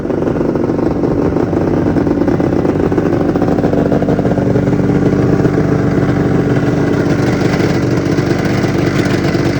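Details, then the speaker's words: 1996 Arctic Cat ZRT 600 two-stroke snowmobile after a fuel pump rebuild, primed with air bubbles purged: steady, even idle with a constant buzzy pitch and no stumbles, holding idle cleanly. "Seems to be holding good, running, you know, idling."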